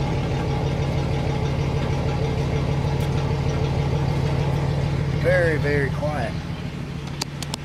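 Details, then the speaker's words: 1985 Chevrolet Celebrity 2.8 V6 after replacing a blown-out muffler: smooth steady low idle with a soft even exhaust note, no rasp or blatting; not fully quiet because of a gutted catalytic converter. "like it's supposed to be from factory now this does have a gutted cat so it isn't going to be fully fully quiet"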